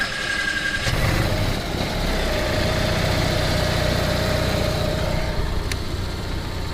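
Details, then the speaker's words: Onan RV generator restarted after an oil change (about 4 quarts to full), with new oil, fuel and air filters and the old spark plug: a steady, even mid-pitched drone, running healthy. "Yeah, 4 quarts brings it up to full. So let's start it up again."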